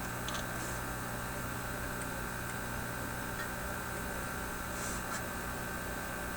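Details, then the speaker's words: Teletone 67-600E tube record player amplifier with volume up, no music: quiet constant hum with a thin buzz; touching the suspected grid circuit increases the buzz; likely picking up electrical noise from modern devices, unresolved. "well i know something interesting when i touch what i suspect is the grid over here you get more of that buzz it's a little"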